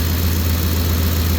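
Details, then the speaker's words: Ford F-150 just started at about 14.4 V after wiring work, water dripping off the hood and steaming on the manifold: steady even low idle rumble with no whine or squeal; alternator sounds normal. "what that steam is now that alternator sounds normal to me"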